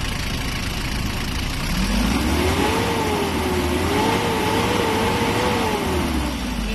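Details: Nissan Urvan with a TD27 diesel, modified for less smoke with a power box and check valve: revs are raised and held, and the engine runs smooth and even with a clear rising and falling tone. Normal revving.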